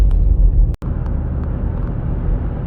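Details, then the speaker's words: 2017 Buick Enclave, 130,000 km, front wheel bearings previously replaced: steady low hum from the rear while cruising on pavement around 100 km/h, heard from 55–60 km/h, seems right rear and lessens turning right; rear wheel bearing hum. "you can definitely hear it now it sounds like it's in the right rear to me but sometimes it's hard to tell because of telescopes it sounds like a rear wheel bearing to me"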